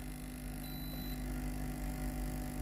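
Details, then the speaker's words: Philips HI5919 steam iron with no steam, water pump test (the clog was in the rubber pipe): a steady low pump drone with an even hum and no rattle or surging, normal pressure, so the pump works normally. "to see if there is compression or not. There is normal compression. The system works normally."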